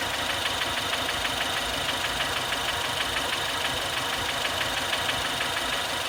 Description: 2016 Fiesta st engine knocking at idle